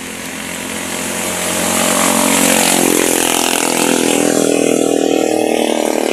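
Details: Barako 2 motorcycle that misfired and stalled when hot, after repairing the CDI socket and testing the regulator: engine climbs smoothly from idle to a strong high rev and holds there without stumbling or cutting out; runs clean.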